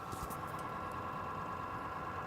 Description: I don't know what this noise is. Sounds like a bad motor